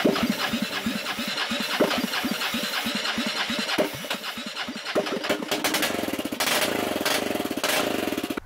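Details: 2001 Honda 400EX ATV, sat over 10 years non-running, restored with new parts: cranks with slow even firing pulses, catches and settles into quick steady single-cylinder idle, running clean and healthy.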